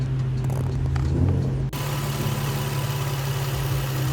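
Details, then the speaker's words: Nissan 350Z with a P0300 multiple misfire code, bank 1 rich and bank 2 lean: uneven low drone that rises abruptly when a spot is sprayed, indicating a vacuum leak; two bolts noted missing. "Yeah, you can hear it going up. So that's just a vacuum leak there."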